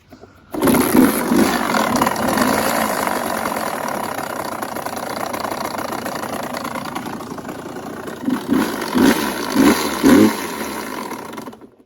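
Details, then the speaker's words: 2016 Suzuki RM85 two-stroke dirt bike from basement, owner says it needs a crank: fires and runs ragged, needs repeated throttle blips, then dies; won't idle, carburetor suspected, not confirmed. "and John it doesn't idle for some reason probably just a carburetor"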